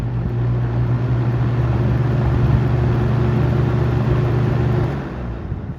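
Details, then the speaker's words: Vintage shaded-pole box fan on high, a few days after varnishing that cured its persistent buzz: smooth even low hum with no buzz, then gentle wind-down; normal running after repair. "so this intro clip here is actually recorded a few days after this furnish was done to this fan so as you can see It'll not Buzz anymore"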